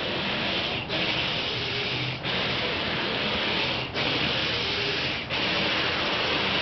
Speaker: Somebody left their windshield wipers on.